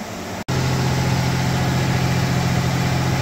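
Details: 1989 V6 Mitsubishi Pajero, first cold start after three days sitting, new stainless extractors and exhaust studs replacing leaking manifold: settled even idle, steady low hum, no ticking or chuffing; exhaust leak fixed.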